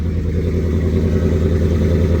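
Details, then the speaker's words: Cammed Ford F150 V8 on a cold start with the AC on holds a fast, lumpy idle that surges and cuts out slightly. The owner believes the shop's tune is off; the cause is not confirmed. "Now, every vehicle is supposed to idle up like this when you first started."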